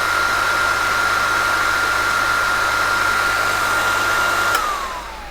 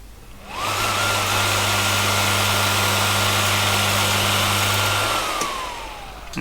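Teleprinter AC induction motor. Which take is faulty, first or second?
second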